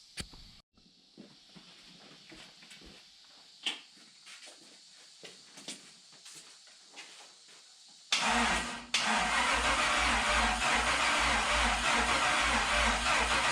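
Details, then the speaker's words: '72 Toyota FJ40 Land Cruiser with swapped 4.8L LS, fuel system primed, first crank with PCM unplugged: starter spins the engine with an even steady churn, no firing; turns over smoothly, no binding. "the next thing we're going to do is turn it over without turning the pcm on and just make sure it turns smooth and stuff off the starter uh and then if that works we'll give her a go and see if she starts"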